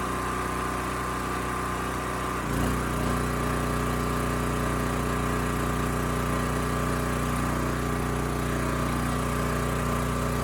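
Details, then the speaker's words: Champion 40026 generator, 3000 W, 120 V, after carburetor cleaning and tank replacement, started first pull, choke off: steady even hum settling as half load applied, no surging or misses; 60 Hz at half load, running smooth. "this thing started first pull turn the choke off right away and it ran quite smooth"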